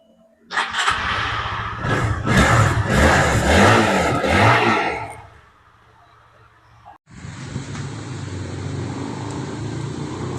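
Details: Honda CB150 (old) engine after a full rebuild following seized-engine breakdown with a broken connecting rod: revs hard for a few seconds, drops away, then restarts to a steady, even single-cylinder idle without knocking; normal start and idle.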